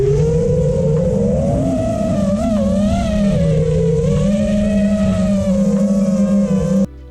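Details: FPV quad after adding static notch filter (about 465 Hz center, 445 Hz cutoff) to cure loud mid-throttle resonance howl: smooth steady motor hum rising and falling with throttle, no howl or oscillation; normal smooth flight.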